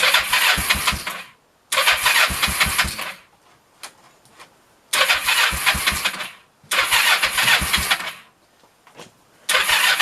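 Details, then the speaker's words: 1996 Kawasaki Vulcan 500 after carb removal and refit, cold, on half choke: engine coughs and stumbles in uneven bursts, sputtering and dying repeatedly, won't hold idle; owner suspects idle set too low or engine too cold. "all right little half choke here maybe at all I have the idle set too low thank you all right it might just be too cold"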